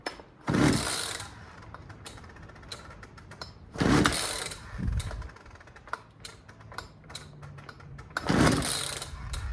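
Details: Poulan 2150LX two-stroke chainsaw that will not start: three slow pulls, each a scratchy rasp with a dragging, uneven return that doesn't retract fully; worn recoil starter spring.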